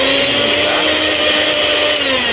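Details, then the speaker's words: Unbranded 750 W mixer grinder after replacement of its failed power cable. The motor gives a high, steady whir at constant pitch without sputter or grinding. Normal running. "Power cable ಹೋಗಿತ್ತು, replace ಮಾಡಿದ್ದೀನಿ. Running ಕಂಡೀಷನಲ್ಲಿದೆ."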